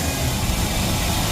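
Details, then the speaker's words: 1956 Chevy Bel Air 4-door, rebuilt carburetor, engine cold; steady even low idle rumble with no stumble, previous bog gone after rebuild. Normal cold idle. "it's so much better. It doesn't have that bog anymore."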